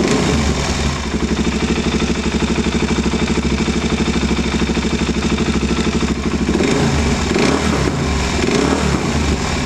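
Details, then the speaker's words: KTM 690 after installing and tightening a Rally Raid mechanical cam chain tensioner: steady idle with fast, light, even top-end ticking; owner suspects valves, not chain; top-end ticking. "sounds good it doesn't get better I'm really tight on it already yeah okay so I guess that's just the valves then"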